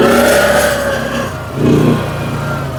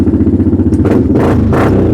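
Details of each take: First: Fire-damaged CF Moto Z Force 800 side-by-side engine picks up cleanly through throttle blips and settles back smoothly with no misses or rattles, running well. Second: Viking UTV with the rear muffler baffle rotted off: loud, throaty pulsing exhaust with a raspy bark on each throttle blip, now sounding like a big block.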